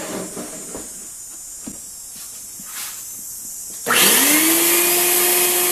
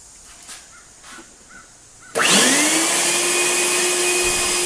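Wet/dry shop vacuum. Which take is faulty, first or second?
second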